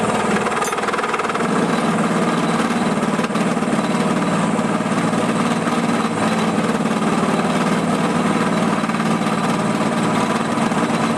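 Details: Drill press during pulley replacement, cutting with a setup later judged poor: harsh steady buzzing chatter at about four pulses a second throughout the cut; a bad lower bearing is also suspected; machining chatter.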